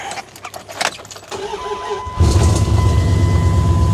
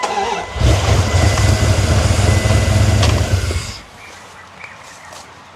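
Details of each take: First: Older Dodge Ram catches after clicks and settles into a steady run; original fault blamed on bad cap and rotor. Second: Older Dodge Ram cranks fast and steady, about four beats a second, never catching, at top dead center check; mechanic suspects the distributor or rotor wasn't seated correctly, which proved to be the cause.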